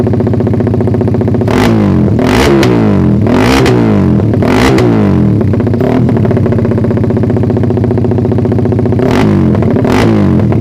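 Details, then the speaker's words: Suzuki Satria FU after the ignition timing was shifted via the pulser: throttle blips rev quickly but flatten and hold back near the top. The owner suspects the ignition or the carb setting; the low rpm range feels good. "Emang pengapiannya yang kurang ngerti ini masih agak nahan sih atasnya"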